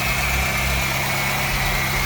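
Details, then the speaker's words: 1998 Honda Odyssey with JDM F23A swap, first start after fresh fluids, no valve adjustment, cold: steady smooth idle, even low hum, no ticking, knocking or hunting; running well after dying on first attempt. "good start it right up that's pretty crazy and um the first start it died like right away then the second start fired up seems to be running really good sounds good"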